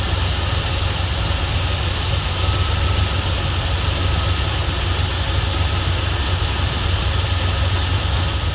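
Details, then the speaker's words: 1977 Ford F250 Custom Highboy, carbureted engine revived after 10 years sitting, carburetor leaking around front seal, later resealed and retuned: steady fast idle, even low rumble, no misses; idle too high, cause not pinned down. "Okay, so before we dive into the smoke issue, this thing has always had a really high idle, and I was just looking and check out that leak out of our carburetor seal."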